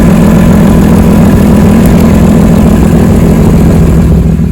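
Loud, raspy idle with a rapid, uneven puffing tick riding over the engine beat, typical of an exhaust leak.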